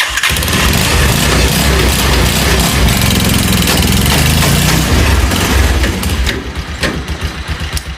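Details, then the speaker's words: Small motor tricycle pulling under load in 3rd gear: rough uneven clatter and fairly loud exhaust; noise only in 3rd, gears 1, 2, 4, 5 fine; engine teardown found broken plate parts. "它这个麻木车什么问题呢？就是挂到3档之后会有一种异响声。"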